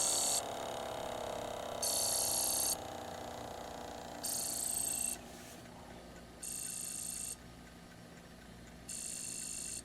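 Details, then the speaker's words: ASTAR DVD player with a sticking laser sled, mechanism oiled: repeated short high chattering bursts over a falling spin tone as the drive hunts; disc not reading, suspected mechanical fault such as limit switches not being hit. "yeah I don't think that's gonna read that doesn't sound good yeah it's not gonna work"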